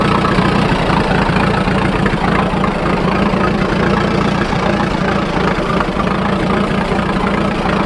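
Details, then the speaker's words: Fordson N tractor on TVO/kerosene, not run for a while, just started on choke then choke off: slow, uneven chugging with irregular beats at idle. Owner says kerosene gets drawn through and it runs rough until extra petrol clears it. "Yeah, it's not run for a little while, so yeah, sometimes you get a little bit of kerosene up in, TVO, and it sucks that through. You have to just wait until it clears, a bit of extra petrol through, and eventually it'll catch and go."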